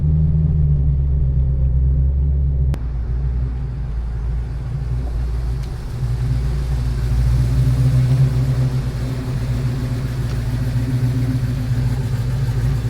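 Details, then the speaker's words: 340 Duster V8 on road test after new rear brake shoes and wheel cylinders: deep, even rumble with no stumble, misfire or pinging; running clean and healthy. "beautiful. It's got no stubble, nothing, no pinging, nothing. Great."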